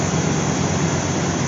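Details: Old Dodge truck after fuel pump replacement, fuel pressure rising from 10 to 40–50 lb: steady low rumble with even beat and no misses or knocks; idles smoothly, with a slight squeak noted.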